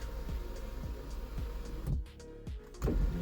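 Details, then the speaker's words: 2006-2012 fourth-generation Mitsubishi Eclipse sunroof weeks after repair of clicking (began after opening on ice in winter): low steady motor hum as it slides back and lowers, no clicking; normal operation. "the sunroof thing um it's still working well yeah it works well no problems but everything is working good"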